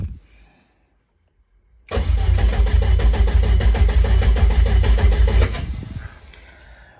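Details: Rear engine of a twin-engine Corsa that would not run after one run at a Santa Pod test day: steady cranking at about three beats a second without firing. Live data shows no crank synchronization; crank sensor or sheared trigger wheel suspected; crank, no start.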